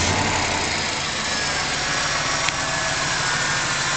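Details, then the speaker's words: 1994 Buick Roadmaster LT1 after an A/C compressor replacement, started before turning the A/C on: a smooth, steady idle hum with no knocks, misses or rattles. It starts easily in any weather; the engine runs clean and healthy. "the moment I start this engine it's amazing how it starts its tersely there's every time winter summer wind rain snow doesn't matter"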